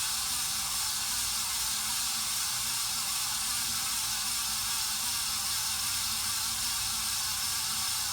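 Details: 53" Casablanca Spirit Of Saturn ceiling fan in Snow White/Bright Brass, recorded November 2018 before bearing replacement: running fan gives a steady harsh hiss over a faint low rhythmic rumble from worn, bad bearings.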